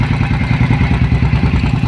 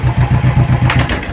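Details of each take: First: Royal Enfield Thunderbird 500cc fuel-injected single, a bike brought in for stalling when put in gear. Big single thumps at a steady, even idle with no stumbling or dropouts until it is switched off: normal idle. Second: Royal Enfield Thunderbird 500cc fuel-injected single, started with clutch pulled in. Thumps at about eight per second weaken and fade within a second and a half as it is put in gear: the engine stalls when put in gear.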